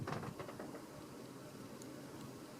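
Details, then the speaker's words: c.1989 Homestead Universal Series 52-inch ceiling fan with spinner motor, bearings previously very bad and treated with Liquid Bearings oil: soft, even hum with no grinding or squeal, nearly silent on low speed. "you like can't even hear it anymore. It's crazy. So that's awesome."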